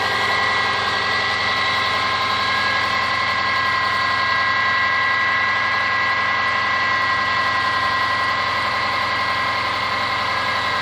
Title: Стук мотора Subaru Forester SG5 EJ25